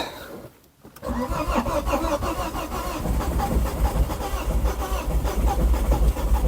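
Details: 2006 Ford Focus ST225, first start in over a year: long uneven cranking slowly building into ragged firing before catching, then running unhappily; owner says it sounds like a water pump and expects to remove the head.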